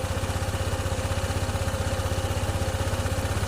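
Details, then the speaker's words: Honda ADV 160 scooter with a hard start that a previous shop didn't fix for 26k. After a scan-tool start, the idle shows 1854 rpm and pulses evenly at about four beats a second. The idle is high and wavering, and the ECU will be reprogrammed. "Ayisin natin yan mamaya program natin top. Ayan nagbabago bago pa yung menor. Ayan. Aayusin natin."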